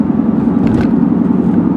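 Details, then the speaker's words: Worn rear tires on a 2002 Ford Taurus LX, higher mileage, during a steady test drive: even low droning rumble with no knocks or clunks; front tires good, car tracks straight, rear tires noisy and due for replacement. "But those rear tires you do want to address at some point in the relatively near future. Me, I would change them out just because the noise bothers me."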